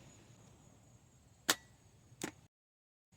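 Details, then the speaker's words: Toyota Camry 2.4 L (2002–2006) old starter tested: two sharp clacks as the pinion throws out, then no motor spin; old starter defective. "So now it's not turning over anymore. It's only coming out."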